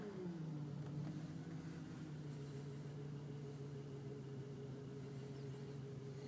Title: bmw 2001 e46 330ci misfire during cold start